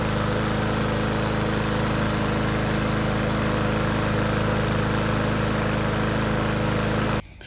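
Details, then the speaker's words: Cub Cadet push mower that had run slowly, sputtered and blew black smoke, auto-choke fixed for free, possibly after incorrect reassembly; air filter removed: smooth, steady single-cylinder drone with no sputter or hunting until shut off; running clean and healthy. "just to prove that our choke system is working properly going to take off this air filter assembly and right now it's closed and I'm going to fire it up and then let you see that it did open up"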